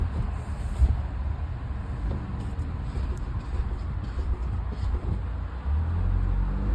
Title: No Grinding Noise 1